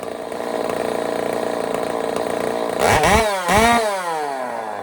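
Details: Echo 590 chainsaw on first start with a custom cylinder head, mixture screws turned out rich and not yet tuned: a busy two-stroke buzz, then two quick blips to a screaming high rev that falls back cleanly. Small head-seam leak near the plug; sounds amazing.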